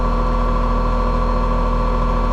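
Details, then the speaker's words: Older Trane R22 AC condenser, customer complaint of noise outside, fan motor drawing 1.4 A and over-amping: steady droning hum with rough buzzy tone at constant speed; condenser fan motor is the noisy failing part, replaced. "all right that sounds like that condenser fan motor is a problem so"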